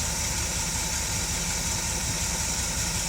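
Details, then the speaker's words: 1971 Dodge Pace Arrow 318 V8 after installing a Pertronix Ignitor ignition and coil, run shortly before so not a fully cold start: a steady, even idle with a smooth low rumble, no misses or ticking; sounds healthy. "sounds pretty darn good [Applause] sounds pretty good to me and we had it running just a little while ago so this isn't a completely cold start"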